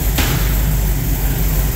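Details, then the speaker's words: 1974 Ford Bronco V8 after engine swap with Holley Sniper 2 fuel injection and MSD ignition: deep, steady low rumble, even beat, injectors audibly pulsing, no ticks or knocks; smooth healthy idle. "make a little quieter in here there it is running you can hear the injectors pulsing in the back there"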